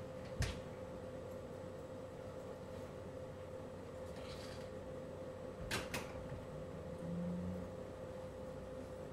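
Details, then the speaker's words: LG portable air conditioner compressor running at 16°C maximum cooling, recorded close to the side panel (about 44 dB, within expectations): a quiet, steady mid-tone hum with a few handling knocks. This is normal compressor running. "é uma pessoa com compressor ligado em 16° tá que é aí a modo máximo de refrigeração do equipamento fizeram que a gente não teve uma alteração elevada é ficou dentro do esperado"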